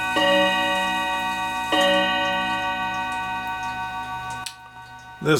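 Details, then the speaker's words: Hamilton carriage clock with balance escapement, after oiling the whole front of the movement: two clean hammer strikes on the chime rods, tones sustaining and fading evenly, the chime train lifting the hammers and starting right up; normal chime. "So I got the whole front oiled, and it seems to me that the chime is able to lift the hammers, start right up and whatnot."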